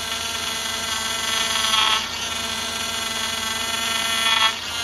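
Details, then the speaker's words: 2007 Cadillac DTS, newly replaced power steering pump during bleeding, air bubbles visible in reservoir; steady high hissy whine swelling as wheel sweeps lock to lock; adding fluid to about half tank until it quiets. "Okay, at this point, we add fluid till it quiets down, because we've got the fluid in the system."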